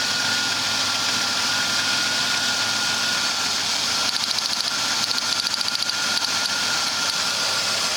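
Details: 2001 Ford Taurus V6 at idle with code P0301, cylinder 1 misfire: a faint whine and an uneven stumble of irregular ticks; the ignition coil is tested as the suspect.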